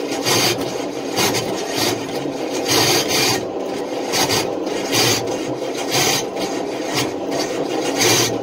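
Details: Long-stored engine on race fuel, rebuilt bearings, cranked on half-dead battery, 60 psi oil pressure: harsh metallic rasping surges about every second, no firing; starter chewing flex plate teeth, remains in inspection pan.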